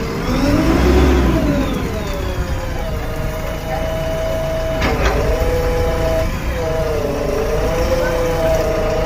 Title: Abnormal sound in hydraulic pump #jcb #3dx #hydraulics #reels #shorts